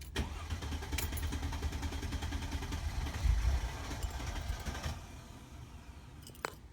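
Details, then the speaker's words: Mercedes-Benz C240 crank no start, before fuel pump replacement: starter churns steadily about five seconds without catching, and there is no pump hum at key-on. Fuel pump not running. "But I know it's a fuel pump. But we're gonna try it anyway. Doesn't even make a noise. I'm trying to turn it on. It should have though."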